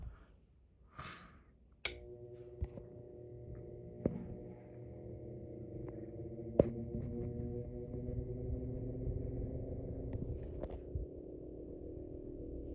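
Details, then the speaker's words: Vintage 1947 GE 12-inch Vortalex fan, model FM12V1, started on low (82 volts) with microphone removed; switch click, then quiet hum climbing slowly in pitch as it spins up evenly, no scraping or ticking. Awesome startup. "Awesome startup."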